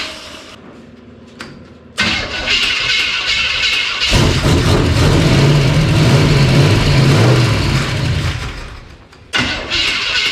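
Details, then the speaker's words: Old engine with timing known to be way out, fuel pump on: cranks and catches, revs rough a few seconds, then cuts out as spark drops; ignition loss, owner suspects faulty distributor. "Okay, I lost fire again. So, what is it, guys? We got a bad distributor."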